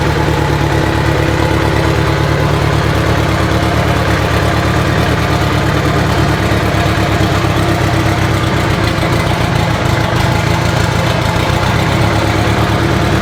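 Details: Abandoned Mitsubishi Evo 8 being built for 800whp, first start without radiator or coolant: steady even idle with smooth low rumble, no knocks, ticks or stumbles; normal idle.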